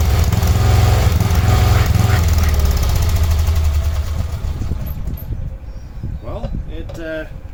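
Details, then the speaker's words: 1986/1987 Cub Cadet 1106 riding tractor, sat over 4 years, during drive function test: single-cylinder chugs loud with slightly uneven beats then winds down, rough running; owner suspects dirty spark plug, though plug later looked not too bad. "Got a funny feeling though that spark plug might be dirty. I wonder if that's why it's sounding like it is."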